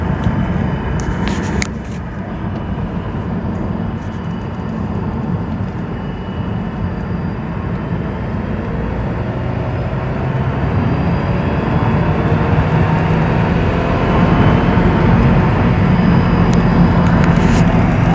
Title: 2006 Mazdaspeed 6 whining noise